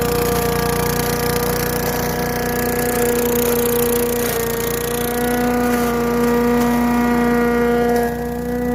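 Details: Craftsman Eager 1 4hp chipper vac (987.799790), vacuuming long wet grass with bag fitted: steady high hum, clear held tone, even pull, no surging or knocking. Normal running.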